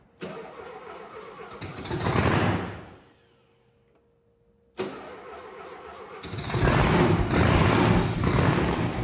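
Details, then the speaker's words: Volkswagen engine with a blower, after tapping the carb to free a suspected stuck float bowl so no fuel gushes out: the starter cranks, the engine catches, and it fires cleanly into a strong, even run; a normal start. "Turn the key, and it starts, just as it was advertised. I love the sound of Volkswagen engines. It's pretty wild with the blower on it."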